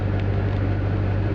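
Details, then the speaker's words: 1980 Triumph TR7 with rebuilt engine, carbs still needing tuning, after a slightly flooded start: steady even low rumble with some rattle, no misses or hunting; normal idle. "i can't see the lights at all rattles but it sounds cool so yeah there we go in a nutshell that's my triumph uh tr7 and i'm pretty thrilled the water pump doesn't wake the fuel doesn't leak the thing idles and runs nicely"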